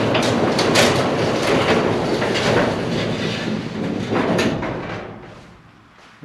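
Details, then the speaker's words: Pole barn garage door with a newly installed Genie 2055 opener, running before all hinges were oiled: a rattling, clattering rumble as the door travels, fading as it stops. The noise comes from dry center hinges; 3-in-1 oil made it much quieter. "I'm putting a drop or two of 3in1 oil on all the hinge friction points. Actually, a bit more because it's difficult to control Okay, let's see how this sounds. Much better. It's these center hinges that make the most noise."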